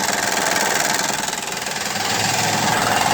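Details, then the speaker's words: 2008 Acura TL 3.2L V6 idling with a steady, fairly loud knock about three to four times a second that goes away with higher rpm, caused by a failed timing belt tensioner with a fluttering belt, not rod knock. "retty common problem with these is knocking noise. I'm going to go ahead and start this up so you can hear it. [Music] Pretty loud, right? If you bring the RPM up, it actually goes away."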